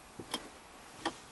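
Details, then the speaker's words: 2004 Mazda 3 automatic shifter stuck in park: after repair, key on and brake pedal pressed, the shift lock solenoid inside the shifter gives two crisp clicks about a second apart, releasing normally so it shifts out of park. "can hear it clicking just the way it's supposed to that's it alright another well done job"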